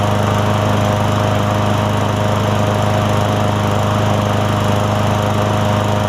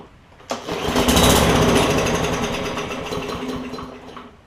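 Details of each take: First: Craftsman M100 push mower after carburetor cleaning, primed and started: a steady, even buzz with no stumbles or surging; it now runs cleanly. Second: Craftsman M100 push mower that won't start: fuel comes out in the air filter housing, not through the carb jet. On primer or starting fluid it catches with a rough chatter, tries to speed up, then dies; fuel delivery issue.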